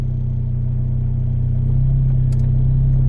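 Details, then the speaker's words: 10th-gen Honda Civic with a big turbo, newly installed Hasport 62A stiff rear motor mount, AC compressor on, in reverse: steady deep droning hum as the mount passes engine vibration into the body. "you can hear it vibrating a little bit because they see compressors on so you get more vibration out of car"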